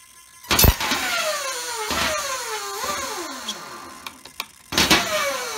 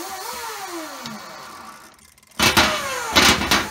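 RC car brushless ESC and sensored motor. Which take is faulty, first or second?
first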